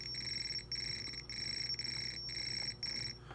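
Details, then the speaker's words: 1980 Atari Missile Command arcade PCB, logic probe on chip pin five while moving the trackball: high probe tone chopping on and off about twice a second, showing signal activity; a bad chip holding a line low was the fault. "if I go to pin five one two three four five and move it see like I got activity"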